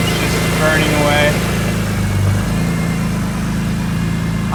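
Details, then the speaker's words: BMW E46 M3 first startup after fitting catless headers, engine idling with a rapid ticking puff over the exhaust note; a header joint is leaking and smoking through the heat wrap, one gasket was missing and it needs tightening; exhaust leak. "All right, first startup. Let's see how it sounds. Sounds like something's leaking. Yeah, it's leaking out of there."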